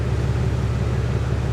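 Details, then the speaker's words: 2022 RAM HD Cummins diesel, about 53,000 miles, after catastrophic engine failure replaced with a remanufactured engine; exhaust at idle, steady deep rumble with even pulse, no knocking or rattling; normal healthy exhaust note. "it's healthy it is healthy"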